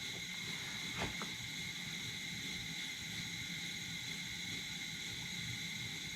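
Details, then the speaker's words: 1947 nickel Coleman 500 series stove, well kept, at full burn with valve backed off a quarter turn: steady even hissing roar, no sputter, pop or surge; normal burner operation. "Now we've got a nice burn. The stove actually runs really well."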